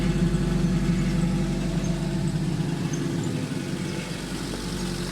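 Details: 1986 Fiat 147 1300 on alcohol fuel at idle: even low exhaust burble, about four pulses a second, steady and unbroken; a characteristic, healthy 147 exhaust note.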